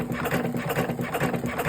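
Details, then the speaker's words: Electric cigarette rolling machine running with a quick rhythmic whirring and soft repeating cuts, several per second; this is the normal sound of the blade cutting tobacco. "Sadece ses olarak fırt fırt ses geliyor O da Bıçağın tütünü kesme sesi"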